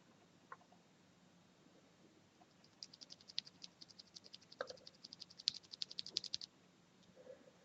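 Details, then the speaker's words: Cherry MX Silent switch ticking on each press, irregular as keys are tapped, less when the switch housing is pressed together; owner suspects stem wobble. "the ticking is less when I press together on the switch like so"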